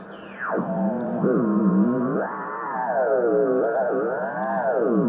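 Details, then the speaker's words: Hallicrafters SX-117 receiver after bandswitch cleaning, on 10 metres: the tone sweeps up and down in pitch every second or so instead of holding steady; unstable tuning, crystal oscillator suspected. "That sounds horrible, whatever it is. I think it's the oscillator. Maybe the crystal oscillator can't. So 10 meters is very unstable, or else somebody knocked it into CB band."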